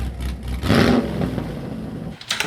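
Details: Chevrolet Caprice PPV running AMSOIL synthetic oil: crisp throttle blip rising cleanly and falling back to a smooth idle, no knocks or rattles; engine sounds healthy.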